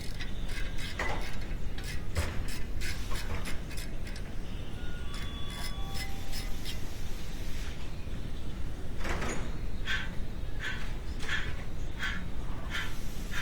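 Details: BMW E90 front wheel bearing and hub turned by hand: a rough, gritty grinding with irregular clicks; the wheel bearing is worn out.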